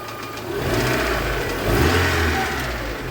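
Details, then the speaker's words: VAZ 2112 engine, warmed up, idling after its injector seals and screens were replaced to cure an air leak and a new MAF sensor was fitted: steady, even, smooth idle with no misses or stumbles. Normal idle. "what I can say about its work with the new MAF is yes There is a difference in its operation, namely the idle speed is kept as it should without any failures without any"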